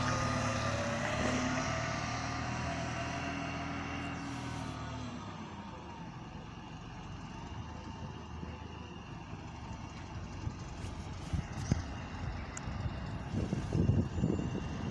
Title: Rattly Idle + Weird Engine Sound From Exterior + XFE Convert | GAL SE198 On Bus Route 170